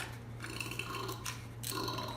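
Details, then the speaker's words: Discarded Craftsman pressure washer engine with the spark plug out and lots of oil in the cylinder is turned over by hand: short whirs and ratchety bursts with no binding. It turns over freely and has compression. "Turns right over. You hear that?"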